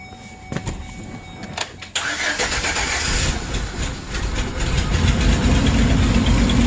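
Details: 2008 Express van bought cheap: the petrol engine cranks, catches and settles into an uneven, stumbling idle from a misfire; eventually fixed with junkyard parts.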